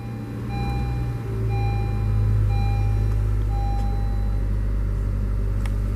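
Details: 2017 Honda Civic EX-L sedan, push-button start: engine catches after a brief crank and settles into a smooth, steady low idle with a faint chime above; sounds healthy, normal start and idle.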